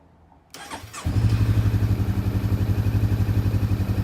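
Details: 2015 Honda CB500F motorcycle started right after K&N HA-5013 air filter install; quick crank, engine catches and settles into even steady idle with regular low pulse; normal start and idle.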